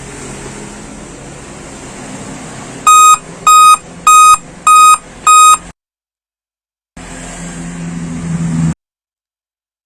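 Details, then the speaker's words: Dell laptop at power-on: one beep followed by five short, evenly spaced high-pitched beeps, then silence; repeating beep code at startup, cause not determined. "jadi laptop Dell yang bermerek Del eh muncul suara beep ya"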